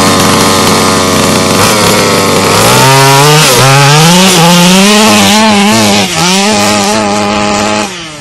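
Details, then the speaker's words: HPI Baja 5B two-stroke RC car on 87-octane premix going uphill: revs climb then sag and waver under load; engine bogging, needle valve mixture needs small-increment tuning. "all right so you may have just heard as I was going up this hill over here that it was bogging a little bit unlike your Nitro friends these guys are really finicky with the needle valves very small increments generally"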